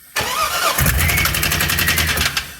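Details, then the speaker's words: 6.0 L LS V8 with 4L80E in a donor van, new injectors, custom air intake with MAF fitted, about 50 psi oil pressure; cranks and catches, then rapid harsh knocking over a rough idle. Rod knock, later shrapneled the motor. "still doesn't run saying sounds like it's got a box of rock sounds inside of it"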